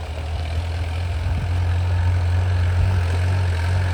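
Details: An old-model Mahindra diesel pickup, revived after what seems over two years unstarted, holds a steady, deep idle with an even beat and no knocks or misses. The engine runs smoothly and healthy.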